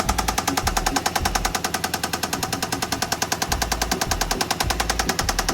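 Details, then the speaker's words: 2008 BMW E60 with manual gearbox, just got running: loud, sharp, regular knock at idle, about two to three per second. Seems to be smoking, no check-engine light. Cause not yet identified. "Ну що ж, а моторчик то у нас стучить. Що це стучить?"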